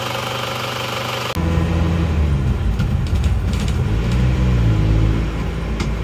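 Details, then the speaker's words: Isuzu Panther 2.5 diesel after engine repair for blow-by, road test with no thermostat fitted: smooth, even low drone rising with road speed, power judged good and engine smooth, no knocks or rattles; normal running. "ya untuk tenaga Saya rasa ini cukup bagus dan mesinnya terasa halus ya halus"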